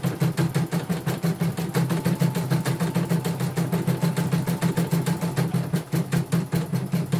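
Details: Portable embroidery machine from Sekayu, South Sumatra, after mainboard replacement and LCD and touchscreen rework. Quick, even stitching clatter at a steady rhythm, no knocks, grinding or hesitation. Running normally.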